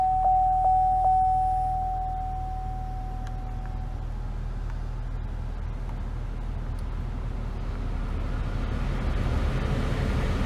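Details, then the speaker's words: 2004 GMC Envoy after blower motor resistor replacement, heat turned up: a smooth, steady rush of air that builds as the fan picks up, with no rattle or squeal. Normal blower fan operation. "We have heat. Got heat blowing from up there. You can hear the fan kicking down there. Everything's looking good."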